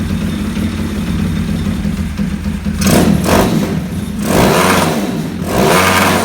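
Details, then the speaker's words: 2020 Orion RXB 150 pit bike running after chasing the 10x1 spark plug threads and switching the kill switch on; firm idle with crisp throttle blips rising and falling cleanly, no misses, good compression, runs way better. "Oh, kill switch. Runs way better. That's awesome."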